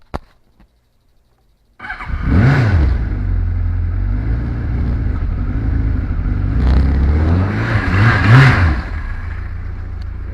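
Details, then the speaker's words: 2005 Kawasaki KZ1000 Police, motor 458, cold start after priming carburetors about 10 seconds: catches after a second, fires cleanly, two quick throttle blips with steady even idle between; reliable bike, idle needs no adjustment, healthy. "Now, this bike is super reliable. It's one of the good ones where you start it up and you don't really have to adjust the idle at all."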